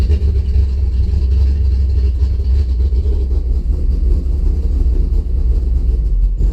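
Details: Engine cranks healthy but fails to start, then idles with a deep, uneven rumble that surges and sags; spark had just been restored via coil wiring, fuel pressure 50 after prime (over 60 during), really rich and sneezing fuel, cause unknown.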